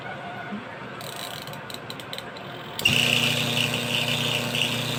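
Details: Washing machine wash motor bench-wired through timer switch and capacitor: steady hum with a raspy high scuffing on top, caused by the two pieces of masking tape attached to it rubbing on the spinning part.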